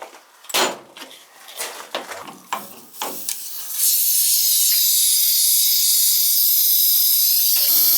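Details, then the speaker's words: Boiler blowing its relief valve when heating, expansion tank suspected bad: a few clunks and taps, then a steady hiss of air and water rushing out of the air vent as the chamber fills; long-standing leak. "all right so we got that filling up the chamber until water in it it's coming out the air vent and it's off right here"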